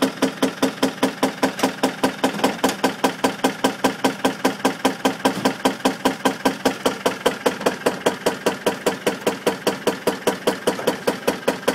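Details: Land Rover Defender 200Tdi diesel idling with a horrible, sharp, very even knock about two and a half times a second.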